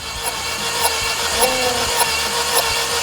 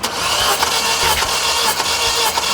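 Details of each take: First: Mini Cooper at roughly 100,000–200,000 km with multi-cylinder misfire codes, cranking: a steady whirring starter and a light beat about twice a second. Cylinder 3 holds no compression (burnt valve); coil and plug replacement did not help. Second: Mini Cooper with a check-engine light for multi-cylinder misfire, cranking on the starter during a compression test. Steady, even beats show this cylinder building normal compression, unlike cylinder 3, which had none; a valve fault is suspected there.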